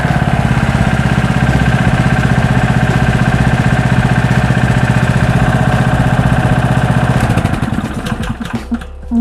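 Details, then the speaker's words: Loncin LC192F single-cylinder petrol engine running on 95 petrol, measured at 4100 rpm and claimed 20 hp, with an oil pump and a vibration-damping plate, just started. A steady even beat with no knocks or surging for eight seconds before shutdown: normal running. "двигун працює рівно без вібрацій"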